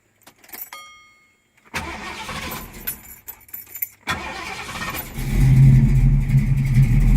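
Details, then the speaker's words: 1972 Mustang Mach 1, 351 (5.8L) with solid-lifter cam, Edelbrock intake, Holley carb and headers: cold start after a few hours. Short crank, then a steady, deep, even idle; healthy. "That's a cold start. It's been a few hours. The cam sounds pretty good in this car. It's got a very deep tone to it."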